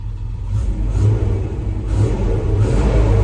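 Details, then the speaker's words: Land Rover V8 converted from EFI to twin Solex carburetors with a new airbox, heard from inside the cabin: engine picks up on the throttle under a heavy whooshing roar from the large viscous fan that swells with revs. Normal running. "So it has got a massive viscous fan on the front of the engine instead of electric cooling fans, which is why all you can hear is fan."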